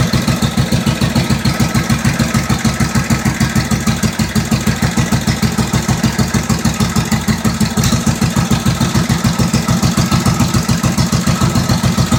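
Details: 1945 Indian Chief V-twin fired up after re-rebuild (new rings, honed cylinders, lapped valves, new head bolt washers, intake manifold and seals): even, loping beat about 200 pulses a minute, no knocks or misses; normal idle.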